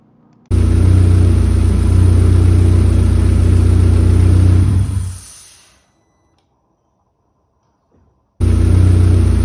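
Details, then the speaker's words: New 1.8T stroker build, hissing under intake manifold that began about 3 minutes into first run as engine reached temperature: steady high hiss, faint hiss lingering after shutdown; vacuum leak from injector seated at an angle in its cup, fixed with proper fuel rail. "I'm troubleshooting a hissing sound on this new 1.8T stroker build it's coming somewhere underneath the intake manifold it started about 3 minutes of initial run time when the engine first came to temperature"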